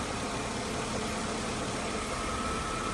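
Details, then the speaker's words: 2003 Mercedes-Benz E320 that showed a check engine light and misfire with no stored code, idling after the battery was unplugged: steady, even idle with no misses, stumbles or ticks. Normal idle. "That's running nice and smooth."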